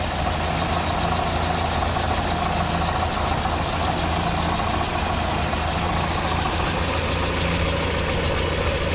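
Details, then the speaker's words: Mini truck that had been running hot (210–220°F with AC), idling at 190°F with 180° thermostat and AC on, after plugging an open vacuum line: faint hiss remains; another leak suspected somewhere in many vacuum lines. "There was just like another vacuum line that was empty. Oh, okay. That was it? Something. You can still hear a little bit. But not as bad."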